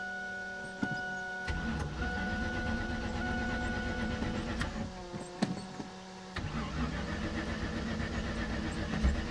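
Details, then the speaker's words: Fourth-gen Camaro 350 small-block V8 with wrapped long-tube open headers: starter whirs, then a deep lopey rumble settles in with a quick blip; loud open exhaust, running healthy, though owner reports some oil pressure trouble. "so as you can hear this beast [ __ ] rumbles now that's just a little that's just a little teaser"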